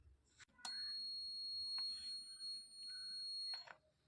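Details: Digital multimeter in continuity (buzzer) mode testing a fuse: a steady high beep of about three seconds between probe clicks shows the fuse conducts and is good.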